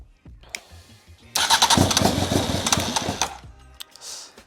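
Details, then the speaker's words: Honda Fireblade motorcycle engine fitted in a kei truck, first start attempts: starter whirrs, engine catches and roars under two seconds, then dies as soon as cranking stops; cause suspected, not confirmed. "soon as I turn the starter motor off nothing's really uh happening manage as soon as I turn it off it just cuts out"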